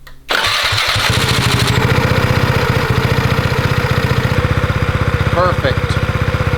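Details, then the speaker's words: BlackHawk paramotor with fuel-injected Aero 1000 engine, restarted without throttle after idle adjustment, before propeller install: quick start, then a fast, even popping idle with no hunting; idle falls within the 1,800–2,000 rpm target range. "Like I said earlier, you only have to give it a little bit of a turn that goes a long ways. So our idle speed falls right within the range."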